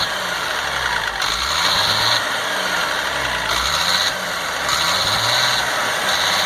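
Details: 1998 GMC C8500 with Caterpillar 3116E diesel, after injector O-ring repair: steady even diesel clatter with a hard unbroken beat, no miss or flutter, revving to around 3500–4,000 rpm and restarting without hesitation; normal running, owner considers it fixed.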